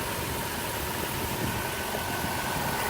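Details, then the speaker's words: 2001 Chrysler Town and Country mobility van, 3.3L V6, about 210,000 miles, new battery, hood open: steady, even, smooth idle with no knocks, ticks or misses; healthy engine. "underneath the hood has a 3.3 v6 it idles smoothly maybe sounds good got a new battery in it"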